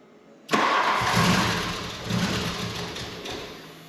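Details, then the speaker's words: 1989 Volkswagen Cabriolet, first start in over 2 years sitting, after new engine wire harness and reconnecting starter plug: catches almost immediately, fires, flares, settles toward rough but steady idle; starts normally, running fine with great oil pressure. "it's the first time I've tried to start it and the first time it has tried to start in over two years it sounds like it's running fine it's got great oil pressure"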